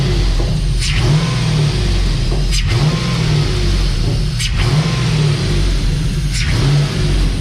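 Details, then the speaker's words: Dodge Dakota R/T with replacement used 5.9L Magnum V8 from Durango R/T, first run warming up: deep even rumble with clean throttle blips every two seconds, revs up and settles without knock, temps low; normal revving. "This thing sounds good, you guys. Real good. Woo-wee. We might have a healthy motor, boys."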